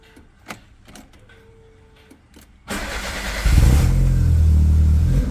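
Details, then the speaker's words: Two-door car with a no-start condition, started after a new part was fitted and plugged in. Clean crank and catch, a smooth rev, then an even settle to idle with no misfire stumble: nice and smooth, running healthy. "all right let's try and start her up"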